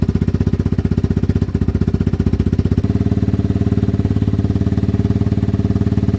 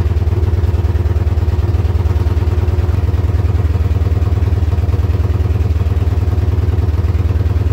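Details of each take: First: Yamaha Wolverine ATV, which previously bogged and bounced as if on the rev limiter, revs healthily after cleaning the carb, checking the filter, a new plug and unplugging a faulty handlebar switch: even, rapid thumping that picks up cleanly with no bog. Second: Yamaha Wolverine quad with holed exhaust: low, lumpy thumping at about three beats a second with a slight stumble near the end; rough idle traced to a bad handlebar switch, runs well unplugged.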